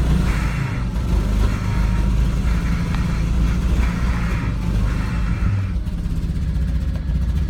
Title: V70 XC misfire problems